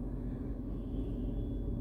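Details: Tata Punch at idle during a night-time vibration check: low, even rumble with no knocks or rattles, smooth steady hum. Owner judges the slight vibration normal.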